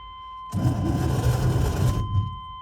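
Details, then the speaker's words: 1984 Chevrolet Suburban C20 that had been sitting, first start attempt: a brief, heavy, low churning groan, sluggish cranking that dies without catching. Weak starter cranking; starter may need cleaning, possibly rust on the flywheel, not confirmed. "That doesn't sound good. Oh. That sounds healthy. You want to throw my truck on that? See if we get some extra juice? That starter might just need to be cleaned up."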